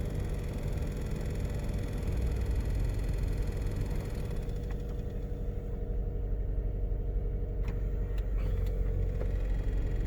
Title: 2017 KL Cherokee Fans making loud noise